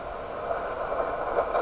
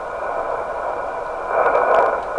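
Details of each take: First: Heathkit SB104A transceiver during alignment of the D (HFO/Premix) board: steady rushing hiss with scratchy crackles growing louder; the radio makes these sounds all the time, cause unknown, seemingly unrelated to the control being turned. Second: Heathkit SB104A transceiver during D board (HFO/premix) alignment: the receiver comes to life, a steady hiss that swells after about 1.5 s; radio fixed, passing band noise.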